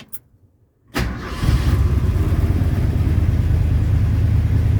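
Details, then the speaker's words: 1977 Ford F-250 Dentside 4WD, revived after sitting 15+ years, after its non-pumping fuel pump was tinkered with and repaired. A short crank, it fires at once and settles into a steady, low, even idle with no stumble. It runs fine, though not the cleanest sounding. "and as you can see she's running fine now she may not be the cleanest sounding vehicle right now but that's some project for later on"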